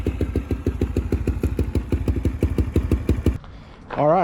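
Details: Restored Polaris Predator 500 ATV, finished after rebuild: single-cylinder thumping about seven beats a second, even and steady, then cut off; normal idle, clean and healthy.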